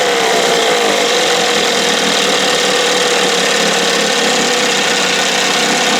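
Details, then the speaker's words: 1968 Evinrude 6 hp two-stroke outboard on a stand, old plugs, after opening for more air: steady high buzzy drone, even, no misses or surging; running well, "a little fluffy". "yeah babe you sound good a little fluffy"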